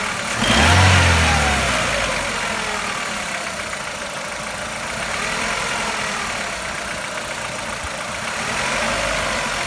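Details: Chevrolet Lacetti 1.6 engine hot at idle: faint, quick metallic tapping knock over a busy, hissy engine note; the knock's source is unclear.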